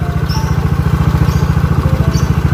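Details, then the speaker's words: Yamaha Mio GT/Mio J scooter after engine rebuild with new cylinder bore back to standard, running in: steady idle with light fast tick on each firing pulse because valve clearance was deliberately loosened; adjustment planned after break-in. "ini suara ngiklik sedikit karena klepnya dikendorin paling nanti setelah endrian beres nanti ke ajak lagi untuk setel bagian klepnya lagi biar makin mantap cuy"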